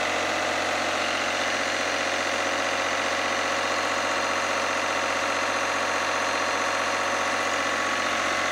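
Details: Lister #2 diesel generator just after fuel system plumbing from a former 20-gallon dry-sump oil tank, run to check for leaks (none, no drips): slow, regular chuffing about three beats a second, evenly spaced, no stumbles; healthy idle.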